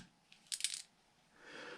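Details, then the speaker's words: Losi LMT RC truck with the factory axle and driveshaft unhooked, before installing Treal aluminum axles: it sounds rough and light metallic rattles are heard as the housing is shaken. A loose part is rattling inside. "I hear something rattling around in there."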